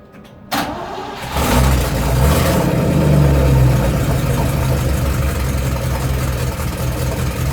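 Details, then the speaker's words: 1972 Range Rover A-suffix project, tight engine, running on a start-and-charge booster with exhaust blowing: deep, uneven low beat about three to four a second. Running rough; ignition timing probably too far out, being adjusted a degree or two. "Rough setting at the moment."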